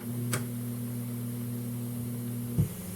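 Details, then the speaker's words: 1980s Realistic SCT-34 cassette deck that arrived with a hum in the left channel. A steady low hum drops out and comes right back. The owner suspects a dirty record-play switch, but this is not confirmed; cycling the switch appeared to fix it. "so it just comes back in it goes and then comes right back I'm wondering if that isn't a record a dirty record play switch"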